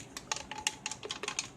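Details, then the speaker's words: Used home power saver unit made in India, dated March 2011, shaken: quick, sharp, irregular clicks and ticks from loose fragments of an internal component, reportedly a capacitor, that exploded. "that rattling sound inside that is because this thing has Al also exploded"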